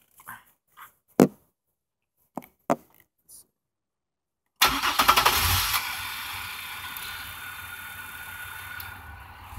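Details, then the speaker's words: GM 3800 Series II after fixing a crank-no-start, no-spark fault by cleaning the grounds, heard from near the engine bay: a few clicks, then it fires at once and settles into a steady, even idle, a healthy start. "there you go I don't know if you guys heard that but it sounds just like a like a healthy car starting"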